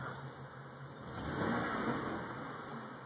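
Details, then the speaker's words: Ford Taurus Duratec V6 after EGR valve, all six plugs and intake plenum gaskets were replaced and vacuum leaks fixed. It now idles well, but the revs climb unevenly and stumble rather than smoothly; it is reluctant to rev from idle. "it's just very uh rough on the on coming through the acceleration range or not acceleration but the RPM range excuse me"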